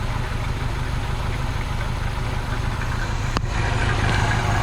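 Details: Abandoned 1973 Ford Pinto Squire wagon, first start after sitting on old fuel, under quarter tank: catches and keeps running but idle wavers and stumbles unevenly; rough running, cause suspected, not confirmed.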